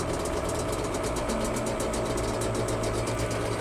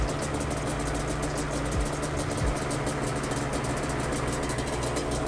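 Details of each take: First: Yamaha Banshee two-stroke twin at raised idle during carb sync: slightly uneven, lumpy beat; sync gauge reads about 7 on one carb and 10 on the other, so carbs are out of sync before cable adjustment. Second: Yamaha Banshee twin carbs after a flow-meter sync, both set to 10 by adjusting the throttle cable: idle comes up to a steady, even two-stroke idle with a crisp, rapid rattle and no hunting, carbs balanced.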